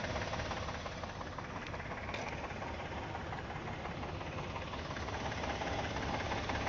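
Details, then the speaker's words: 2012 Chevy Impala petrol engine idling after a battery replacement at a mechanic: light, fairly regular clicking about three per second, on start and acceleration, seemingly from the passenger side; cause unknown. "I'm gonna start up the car and then I'm not sure if you guys can hear it but it's like making like this clicking noise"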